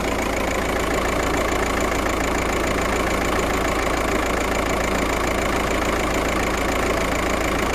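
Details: Volkswagen Passat petrol engine idling with a slightly uneven, loping beat; misfire detected, fault code 000769 / P0301, cylinder 1 misfire at idle.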